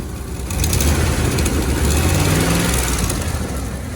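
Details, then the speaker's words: 1998 Dodge Ram petrol truck after power steering pump and alternator replacement and the whine fixed: revved engine with a light, quick ticking over the deep exhaust note from the exhaust manifold needing replacement. "You can definitely hear the ticking noise from the exhaust manifold. So yeah, eventually that's going to need replaced here soon."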